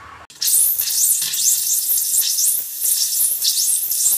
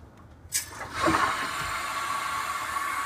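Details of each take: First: Hot water faucet after installing a Watts 500800 recirculation pump and opening the supply valve: harsh, irregular hissing and spitting bursts, a bit under two per second, no low tone; sputtering as air purges from the hot lines. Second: Water heater filling after opening the supply valve, just after installing a Watts 500800 hot water recirculation pump: sudden gush as the valve opens, then a steady hiss of water rushing through the pipes; normal water flow while filling.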